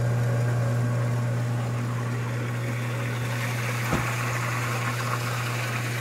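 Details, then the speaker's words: Hot tub pump that was humming with flow and overheating errors, after repair and reinstall: smooth, steady low hum with one brief click near the end, no grinding or rattle; pump motor running healthy. "Okay, we turned the power back on. Set the temperature. There we go. Sounds so much better."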